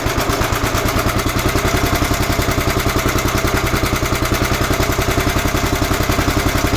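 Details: 11 hp Honda engine on an Emglo air compressor, after a carburetor and air cleaner box replacement. Loud, evenly spaced firing at a constant rate while pumping up the two long tanks: pulling smoothly under compressor load.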